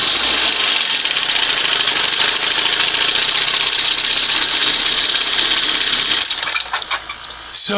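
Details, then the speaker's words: 1971 Johnson 20 HP outboard after swapping to a smaller late-1980s carburetor: busy, high-pitched two-stroke drone holding an even, steady rhythm without misses or surging; runs better and quieter. "this is a case where she runs better, sounds better, much quieter with the smaller carb."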